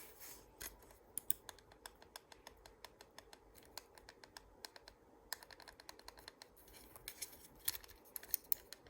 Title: Glorious model d do be making weird noises